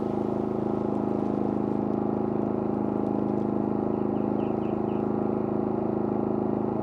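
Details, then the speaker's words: Pulsar 4000 dual-fuel generator, smaller and less powerful, in eco mode with no load, compared with a WEN 4800 W: low, smooth, steady hum at constant speed, no surging or missed beats; normal eco idle. "Okay, this is a Pulsar unit on eco mode, no load."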